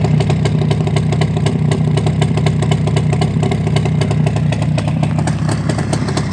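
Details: Two-stroke engine after repair: crisp steady crackle about four beats a second, picking up cleanly with throttle, no knocks or rattles; normal idle and revving.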